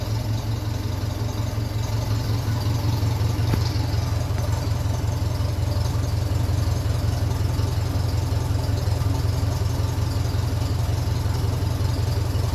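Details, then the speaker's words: 1957 Ferguson 35 TVO tractor, warmed up and running on kerosene, idling at 650 rpm with the heat shield off: slow, even low thud with no knocks or misses; runs fairly nicely. "we're up the temperature sitting there at 650 revs I think that sounds like it's running fairly nice"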